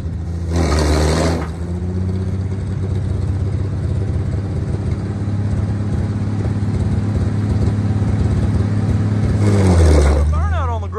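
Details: International 1-ton flatbed truck (stated 1947 or 1949), revived after about 50-53 years sitting; deep steady six-cylinder rumble climbing in pitch on each throttle blip; running strongly, normal.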